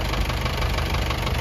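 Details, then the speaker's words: Isuzu 4BE1 diesel idling after all injectors were pulled and tips replaced, which cured the earlier shaking; a light, regular knock rides on each firing beat, the remaining noise, from worn piston pin bushings. "So yun lang mga kayabi agag medyo ang issue nito mga kayabi kanina kahapon nanginginig siya."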